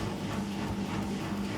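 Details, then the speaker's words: 20+-year-old Beko washing machine, after repair with a new magnet, pump judged acceptable, on spin: steady low motor hum, brushes running smoothly without grinding or sparking, slightly loud but normal. "трошечки голосно але для цієї ситуації це норм"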